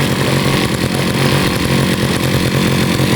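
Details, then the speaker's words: Used Husqvarna 541RS brushcutter (made in China, 2019), run only one tank of fuel, nearly new; small two-stroke holds a firm, even buzzing idle with no stumbling or surging, healthy engine. "Các bạn thấy nhá, tiếng máy ganti còn vẫn rất là chắc này."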